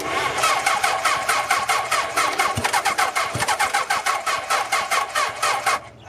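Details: Half-scale NASCAR kart with a 750cc four-cylinder motorcycle engine, first start after four years abandoned outside, starter solenoid jumped: rapid raspy pulses about four a second, then cuts out abruptly; fires briefly and dies, likely fuel-starved.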